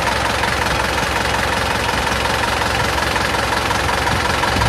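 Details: Isuzu Panther diesel engine after 6,000+ km on Deltalube oil, just driven so warm: steady, even idle with a regular light clatter and no odd knocks or misses; engine sounds healthy.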